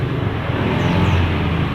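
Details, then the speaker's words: Yamaha Vega R motorcycle that had stalled, now running after a spark plug replacement: low, even putter holding steady speed with no misfires or stumbles. Normal idle. "Tadi udah saya ganti busi, sekarang udah nyala."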